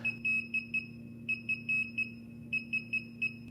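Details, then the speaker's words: DJI Phantom 3 / Inspire 1 remote controller during a firmware update from microSD, which takes 5–10 minutes: repeating bursts of four or five short high beeps; the update is still running until the LED turns green and the beeping stops. "the update is finished when the controller LED turns green and the beeping tone ends"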